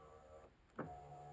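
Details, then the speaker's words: 2009 Saab 9-3 Vector TiD diesel wagon, driver's side stock window motor, disassembled and reset after earlier issues: a brief clunk, then a steady whirring hum with a faint raised tone as the window runs; it works but is noisy. "so i disassemble everything reset everything that works just fine right it's noisy"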